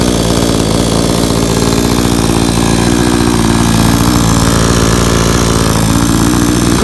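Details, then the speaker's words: New Blue Max 57cc 22-inch two-stroke chainsaw, first start after choked pulls, idling about 30 seconds: steady, even buzzing idle with no hunting or misses. Healthy idle. "let's go ahead and push it in it was all right so this idling here i'm letting it idle for about 30"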